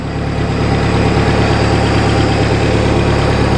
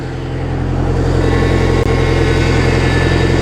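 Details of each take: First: Rebuilt boat inboard engine, warmed to 160–170°, during winterization: smooth, even idle at about 1,000 rpm, slightly fast, with a steady low rumble. It is running normally. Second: Boat inboard engine warmed past 160 degrees with the thermostat open during winterizing, steering worked back and forth: faint, thin whine over steady running from a power steering pump with a suspected fluid leak. Power steering pump whine.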